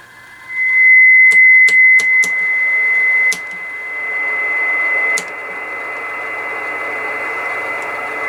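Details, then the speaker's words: Old dirty Kenwood TS-520 with moisture damage, covers on, upper sideband 20 m around 14.250, heater switch off, signal generator on: a steady clear tone over light hiss with adjustment ticks. Normal signal reception. "so the radio is receiving way"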